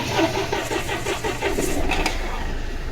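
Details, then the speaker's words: Mahindra TUV 300 after fixing intermittent breakdowns traced to a cut/loose fuel tank pump motor wire, now reconnected: brief cranking, then engine catches and settles into an even run with no misfire or stumble; normal start. "Okay friends வண்டி start ஆயிடுச்சு. Loose connection வந்துன்னா நீங்க அங்க check பண்ணுங்க."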